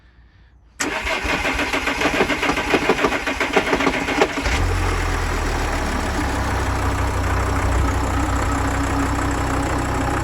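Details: VW Crafter 2.5 diesel van: heavy irregular clunking at start-up that settles into a steady idle and returns at shut-off. It disappears when the clutch is pressed and revved, so the owner suspects the clutch/dual-mass flywheel, not confirmed.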